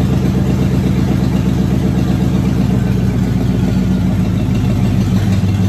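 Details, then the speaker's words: Car nicknamed ABE, first run since 2019 after a new fuel pump, new starter and tank cleaning: smooth, even low rumble holding steady without misses or rattles; normal idle. "Well, there you have it. First time and since 2019 that anyone knows of that that car ran or alone moved on its own power."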